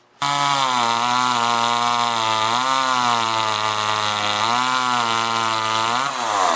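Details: Homelite LX30 (Super 2-type) small chainsaw cutting logs after a carburetor kit (K10-WAT) replacement; high two-stroke howl bogs slightly in the cut and recovers cleanly, pulling smooth and steady, though it needs time in the cut.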